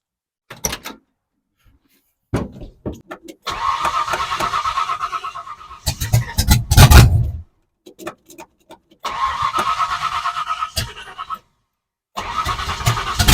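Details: 1970 Ford Falcon with a 5.0 small-block Ford swap, after a carburetor clean and reassembly: several cranking bursts catch briefly, rev unevenly, then die; it won't stay running.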